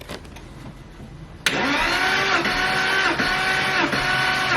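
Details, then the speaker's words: Porsche Boxster 986 compression test, cylinder 4 on left bank: starter cranks at an even four pulses a second, reading 155, consistent with other cylinders despite scoring on 2 and 3; normal cranking, good compression. "What have we got there? 155. Alright, it's looking pretty consistent so far."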